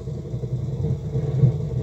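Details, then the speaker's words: Novik EVO-250A/USB powered speaker with a customer complaint of a strange noise that began as crackling like faulty potentiometers, powered on briefly during supply-voltage checks (±21 V, −11 V): a constant deep rumble with no audio playing; cause not yet found. "vou ligar o aparelho vou ter que efetuar esse teste bem rápido por conta do barulho que o aparelho faz"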